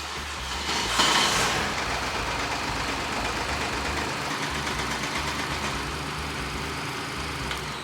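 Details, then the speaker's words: BMW 118i with B38 engine and DCT gearbox, uneven-running engine problem already fixed. Uneven low rattle under the idle, about two to three beats a second, also heard at shutdown, with strong vibration through the car. Engine mounts replaced earlier without help. Worn dual-mass flywheel. "Pored ovog ružnog lupkanja zamajca imamo i veliku vibraciju koja se prenosi na ceo auto."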